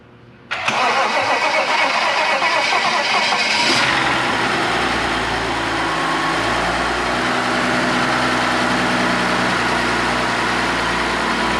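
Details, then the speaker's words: 2011 BMW X5 3.0 twin-turbo N55, 80,000 miles, engine had seized and was repaired. First start after the fix: it catches at once, flares high for about three seconds, then settles into a smooth, even idle with no knocking. "i can't believe it's running no way and it sounds good too dude it sounds good i think it sounds good right man"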